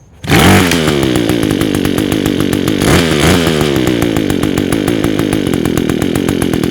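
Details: Echo two-stroke with Zama carburetor, first start after the last-resort repair, idle and jet being adjusted: crisp even buzz at steady high speed with no misses or stumbles; running cleanly.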